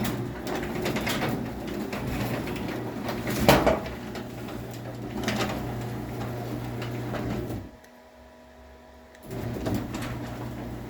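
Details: Craftsman garage door opener: steady motor hum with a sharp squealing screech near the start of travel, then it stops; cause of the screech unknown.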